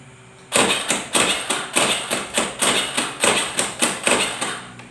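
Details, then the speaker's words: Carbureted Honda Beat scooter, electric starter pressed: rapid sharp clicks, about two or three a second, no cranking; weak relay in the CDI, possibly the starter relay. "nah seperti itu ya bunyinya dia cetak-cetak cetak cetak tidak bisa langsung ya"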